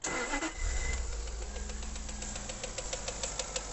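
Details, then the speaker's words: Early Jaguar XK8 with AJ26 V8 and two-step VVT idling with a hard rattly knock about three times a second; energizing the VVT solenoid immediately clears it, suspected worn VVT hub. "so there's the death rattle from the engine now I'm gonna come around here and I'm just gonna give it a burst of v/vt there and it immediately clears the knocking from the engine"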